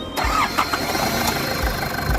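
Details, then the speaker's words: Nissan ZD30 3.0 diesel that would not start (no fuel delivery, faulty electronic control box on back of injection pump) after repair: brief crank, catches at once and settles to a steady, even idle; normal start. "ตอนนี้เสร็จเรียบร้อยทำการแก้ไขซอบแซมเสร็จเรียบร้อยนะครับรับประกันฟันส่ง1ปีเต้มนะครับเอาลองสตาร์ทดูสตาร์ทติดง่าย"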